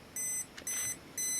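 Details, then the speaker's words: Olympus XA2 35mm film camera with fresh batteries, self-timer activated with its light blinking. Three evenly spaced high beeps about half a second apart give a clean countdown; the self-timer works normally. "activate that and see that the light is blinking and counting down."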